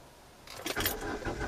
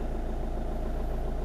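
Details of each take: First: 2010 Hyundai i20 diesel with sudden power loss, cranking steadily about three to four beats a second during a scan-tool test with injectors shut off, never firing; won't start because injectors are disabled. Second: 2010 Hyundai i20 diesel after sudden injector shutdown and no-power episode, no fault codes stored: even smooth idle, steady low thrum, no misses or knocks; running well with full power again.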